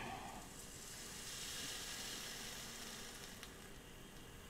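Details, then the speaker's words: Philips LatteGo espresso machine being tested after disassembly, heating with water in: soft steady hiss with faint crackle like water sizzling on a hot part; possibly heater overheating, more likely water spilled when a hose was removed, cause unclear. "tam było mokro wyłączam bo słyszycie słyszycie syczenie było polane wodą po prostu czy grzałka się przegrzewa No nie wiem"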